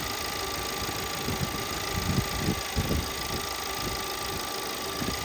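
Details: 2017 VW Passat 1.8 with random misfire on all cylinders a few minutes after start, despite new NGK spark plugs: uneven idle with irregular thumps and stumbles, traced to the camshaft timing adjustment solenoid, which was replaced.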